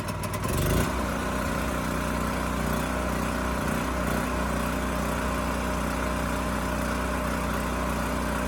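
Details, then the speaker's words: Champion generator model 40026, yard-sale unit fixed by cleaning the carburetor and replacing the rusted fuel tank: after a brief start-up burst it settles into a steady, even hum with no surging, starts and supports a load; normal running. "so no surprises this thing still starts runs sounds good and supports a load so i think we're done here"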